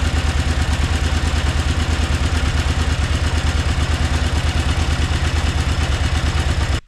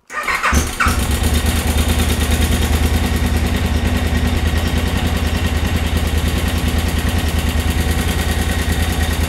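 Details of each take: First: 2003 KTM 950 Adventure LC8 V-twin at idle after timing-side (distribution) repair: a steady, even pulse about three beats a second with no clatter or ticking. Before the repair it clattered like a diesel; now it sounds completely normal. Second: 2003 KTM 950 Adventure (LC8 engine), recently serviced at a KTM dealer: after start-up a fast, even ticking rides over the idle and grows louder over time, clearly abnormal; timing chain rattle, later repaired.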